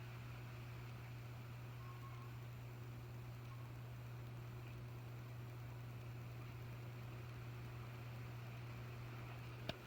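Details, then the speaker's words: 1981 antique brass 36-inch original 2-speed ceiling fan running, missing canopy, switch cap and rubber grommet: low steady motor hum with soft even air noise, no ticking, scraping or rattle; runs good. "But as you can hear, she runs good. It's good around here."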